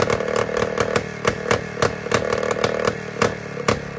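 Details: Jawa 250 type 592 two-stroke after a complete overhaul: popping and stumbling at an irregular beat, about two firings a second, never settling; air is leaking at the crank seal and carburettor gasket.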